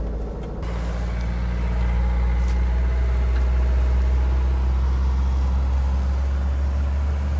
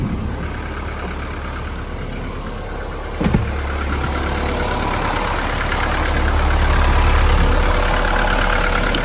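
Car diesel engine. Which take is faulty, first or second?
second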